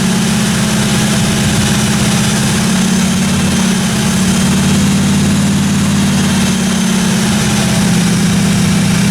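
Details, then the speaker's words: 1957 Chevy 210 project car, carbureted V8 idling during roughly 20-minute cam break-in run: steady, smooth, even low rumble with no ticking or tapping from the top end or valve train; normal running. "I actually got the thing broken finally uh sounded good I ran it for about 20 minutes got the cam broken everything sounded good in the the valve train"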